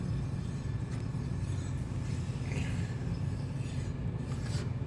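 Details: Front disc brake on a new Aostirmotor bike rubs as the wheel is spun: soft scraping swish once per wheel turn; brakes also loose, lever must travel far to engage, bolts left loosened during adjustment attempts; rubbing suspected.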